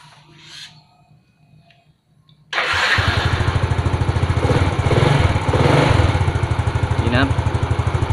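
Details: Yamaha Fino fuel-injected scooter that sat unused and would not start, after replacing the faulty spark plug cap; after a quiet moment it fires at once and settles into a steady, even idle.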